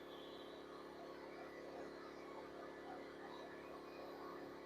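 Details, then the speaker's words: WEN 2000W inverter generator after draining old gas and cleaning the carburetor, eco mode, heat gun load about 1400 watts near 118 volts (700 watts gives 119 volts, 60 Hz): steady even hum, constant pitch, no surging; running normally. "Under full load, that's good. Under 700 watts on low, 119 volts, that's real good."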